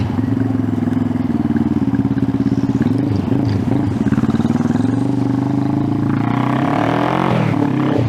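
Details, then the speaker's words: 1971 Honda CB350 twin with chopped exhausts, first start after sitting 50 years, fired in about four kicks; even, rapid pulses at fast idle, pitch lifting with a throttle blip, running crisply; idle a little low, carbs need idling up; normal running. "woo she got some pep"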